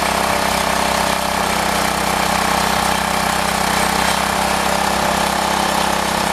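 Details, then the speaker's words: Old rototiller, probably late 1960s–70s, Briggs & Stratton engine, just revived after cleaning, runs loud and slightly uneven, its beat wavering; rough running because the carburetor needs cleaning and adjusting. "we'll take it out and we'll do some chilling with it it needs the carburetor pin that and adjusted"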